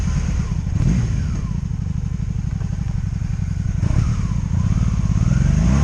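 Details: 2002 Honda Magna VF750C V4 during a rebuild, first warm test ride running non-stop, with no ignition cuts or bucking; jerky transmission. A steady deep thrum rising and falling with the throttle under load, with some wind noise. Normal running.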